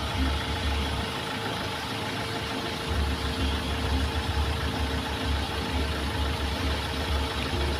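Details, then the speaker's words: Mahindra XUV500 diesel after replacing the fan belt and pulley adjuster that had been noisy. It now idles smooth and even with a low rumble and no belt squeal or chirp, normal. "ठीक है इसमें कोई आवाज नहीं है"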